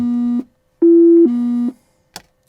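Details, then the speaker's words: TBM 930 turboprop, cold-and-dark pre-start audio alarms test on main battery and generator: two steady electronic tones with clean gaps. Stick shaker and stall warning are working normally. "so this is a stick shaker install warning you hear the stick shaker shake install shaker and stick shaker and the stall warning or working"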